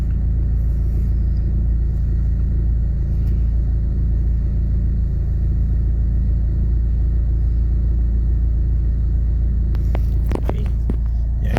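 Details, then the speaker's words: Proton Waja MMC after idle stepper motor test, coolant warming to about 78–80°C: smooth, even low rumble with no misses, hunting or knocks; normal warm idle, stepper motor not at fault, cold-start complaint suspected to be ECU firmware or the car. "I rasa bukan masalah dekat staple motor ni, masalah dekatulator kut. Ada isu lain."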